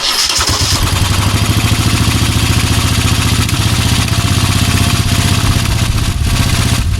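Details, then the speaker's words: Moto Guzzi V-twin cafe racer after restoration and electrical work, microphone moved to the back of the bike: it catches quickly and settles into an even, lumpy beat with steady firing and no knocks or rattles. It sounds healthy. "right okay there you go and so there it is running and hopefully the mic picked up the"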